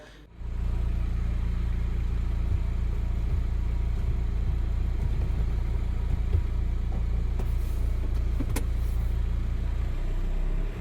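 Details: VW Transporter 1.9 with hard first-gear engagement and gearbox noise; after the gear cable bushing was replaced and the cable's plastic adjuster set: steady low idle and a quiet, grind-free shift into first.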